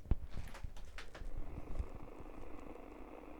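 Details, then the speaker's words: Donner DEP-1 88-key digital keyboard powered by USB-C from a computer, volume at zero, mic by the speaker: low gravelly buzz and growl from the speaker caused by the USB-C power connection, a ground-loop-type system noise. "Okay, that growly gravelly sound that you're hearing is coming from the USB-C cable being plugged into this unit to give it power. And this is the sound that you get."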